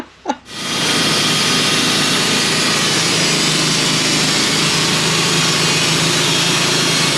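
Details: Sawmill cutting 1-by boards from a white pine log that sat on the ground a while, brand new carbide blade, after metal was cut out of the log: engine picks up, blade settles into steady even high whine, no chatter or grinding; normal cut.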